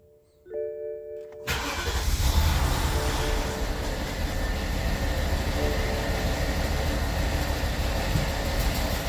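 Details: 2003 BMW 745Li E66 after spark plug and ignition coil replacement and a new battery; cranks, catches, then stumbles at idle; camshaft sensor codes and misfire fuel cutoff on cylinders 8,3,7,6,4; owner suspects camshaft position sensors; misfire.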